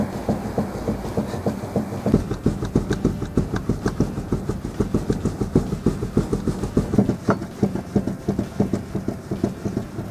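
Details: 2005 Ford Fusion with the wheel rocked by hand; sharp clunks about three times a second from play in a worn tie rod end.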